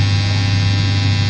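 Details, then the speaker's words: Washing machine, newly installed timer buzzer sounding at the end of the wash timer before shutting off: continuous low steady electrical buzz at an even level; buzzer working perfectly. "मतलब बिल्कुल सही perfect काम करने लगा है। लो दोस्तों, बंद हो गया बजर, कार्य अपना पूरा हो गया है।"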